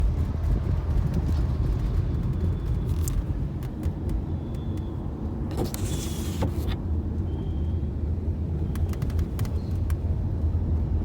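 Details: Tata Nexon driving on a smooth road: a steady road rumble with scattered light clicks and rattles coming from overhead now and then; a loose sunroof rattle.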